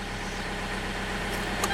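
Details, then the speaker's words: 2004 Toyota Avensis II idling with steering at full lock after the accessory belt was re-tensioned; the earlier squeal, first suspected as the power steering pump, is gone; smooth idle with no squeal; normal. "c'est bon le vol a disparu donc pour moi c'est réglé il ya plus de soucis au niveau de la direction"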